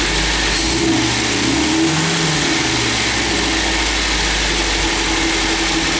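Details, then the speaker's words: MGB GT after head gasket replacement and electronic ignition fitted, after a drive, idling a bit fast: steady, even idle with no misfire or knock; holding temperature well, sounds healthy. "so I've just been out for a spin just ticking it over a bit fast but it's holding the temperature"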